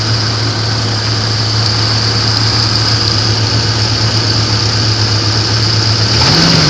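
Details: 1994 Grand, 4-litre engine: loud uneven idle with a rough pulsing beat, then a short rev blip; engine knock, cause not clear.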